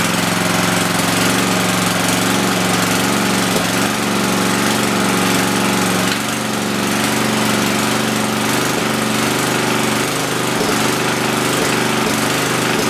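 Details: Rebuilt Tecumseh 10 HP single-cylinder generator engine, first run: steady lazy drone, engine speed far too low, to be raised before loading.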